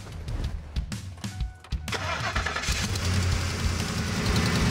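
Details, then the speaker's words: Ford F-150 with 5.4L 3-valve V8 that has been sitting a while, started up before a tune-up; cranks and catches, then a lumpy, uneven idle that stumbles now and then, running rough and suspected of misfiring. "sounds like it's running a little bit rough maybe misfiring yes sir"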